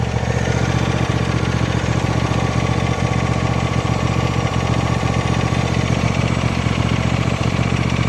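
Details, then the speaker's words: 2014 John Deere D130 riding mower after repairs: small single-cylinder engine idling at even thump, no whine or grind from hydrostatic transmission; smooth and healthy. "I don't hear any noise at all from the hydro on here. Nice and smooth."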